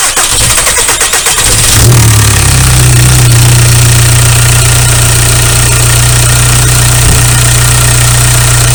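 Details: VW ALH TDI diesel after injection pump head seal replacement, fuel lines cracked and bled, cranks briefly, catches and settles into steady, even idle clatter with no misfire or hunting; repair successful, no leaks afterward, normal idle.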